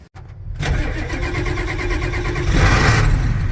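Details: International 7.3 IDI diesel with glow plugs inoperative (relay failed) cranks briefly, then catches on starting fluid and settles into a rough, chugging idle.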